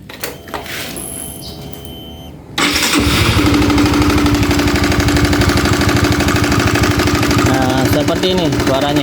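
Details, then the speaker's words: Honda CB150R (2016 or 2017, LED-light model) at idle: engine catches after a quiet start, then a loud, regular ticking/tapping from the head, at the camshaft; very noisy in person. "tapi kalau langsung di lokasi itu Suaranya benar-benar berisik banget benar-benar berisik nih ini kondisi stasioner ya kalau terdengarnya sih kayak seperti di suara head ya"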